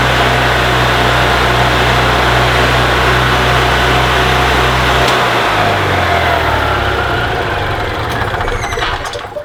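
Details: 2002 EZ-GO TXT gas golf cart after repairing a broken wire that caused no-crank: steady even single-cylinder putter for about five seconds then clean shutoff; normal running after repair.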